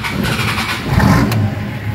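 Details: Nissan Patrol Y60 with TD42 turbo diesel, first start after 9 months' storage on a nearly 3-year-old battery that was disconnected; short crank, then catches first try and settles into an even clatter; normal cold start.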